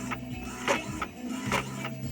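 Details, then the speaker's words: Epson L3150 inkjet after head cleaning, printing colour test image: carriage sweeps back and forth in steady rhythm with even paper-feed steps, no grinding or clicking; printing normally with only small gaps. "Запускаем картинки, значит. Вот тут у нас, в принципе, все хорошо."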